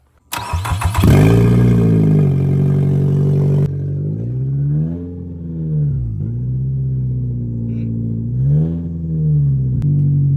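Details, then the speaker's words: Junkyard Nissan Altima Coupe, first run at the shop with an open header and no exhaust fitted: it catches at once, flares, then settles into a loud raspy idle with a slight lazy hunt. Runs healthy, normal idle. "no not a bad little car for a junkyard car dude not bad at all and it sounds really good it it's like healthy it's an open header right now"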